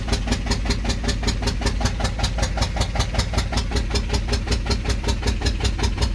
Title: VW engine 1.9 TDI PD BXE 105 77kW wont start after cylinder head and camshaft change. No ECU errors